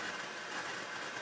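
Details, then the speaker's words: Rotel RX-802 vintage receiver after restoration with FM dial accuracy readjusted, tuned to local FM stations: steady hissy buzz under the station with a faint thin tone on top, present on all stations; owner suspects something nearby causing interference, source unconfirmed. "so let's go through and uh let's listen to some uh local stations see I'm getting this interference I get that on all the I don't know what it"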